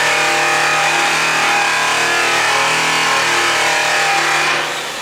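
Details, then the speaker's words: High-speed (full-speed, up to 6000 rpm class) polisher/buffer, pressure raised from light to medium to heavy: steady high whine holds, then sags in pitch and volume as the pad is pressed hard; motor bogging, losing RPM. "as soon as I started putting weight on it and started putting pressure on that pressure started to bog this Speedo so as soon as I did that it started to slow down quite a bit because I lost quite a bit of RPMs"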